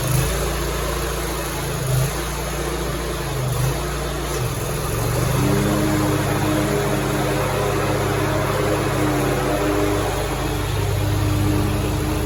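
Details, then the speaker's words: Grasshopper 227 zero-turn mower after repairing a broken PTO clutch wiring harness and rerouting it: engine runs steadily, tone settling lower and fuller as the electric clutch engages the blades; fixed. "The blades, you should physically hear the clutch popping on. I believe we are fixed."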